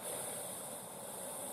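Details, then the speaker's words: Instant Pot-style pressure cooker water test on first use, about a minute and a half in: steady even hiss without knocks or sputter as the water boils and it comes to pressure, normal, float pin pops up. "means the water is boiling see that see the pin okay it pins up that means it's it's hit the pressure that it needs to hit"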